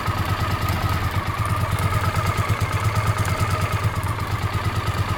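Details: Honda CX500 twin, also dripping coolant from a coolant pipe joint: steady idle with a light, rapid tick about three per second from the left cylinder head. Owner suspects an exhaust gasket or, at worst, a worn cam chain.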